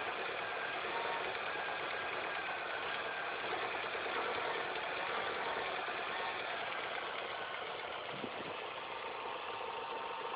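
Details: Engine at idle after replacing all belts, timing chain and tensioner: steady idle with fast uneven mid-tone chatter about three per second; added noise, source unclear.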